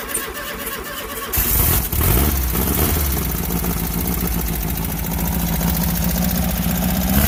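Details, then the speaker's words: Volkswagen Baja Bug air-cooled engine, cold and never yet up to temperature: starter churns, catches after about a second and runs with an uneven, lumpy beat. Owner suspects stumbling and dying is because it's very cold-blooded, easing once warm. "i honestly think that uh the stammering and dying issue is just based on the fact that it's extremely cold-blooded because when it warms up it kind of stops doing that"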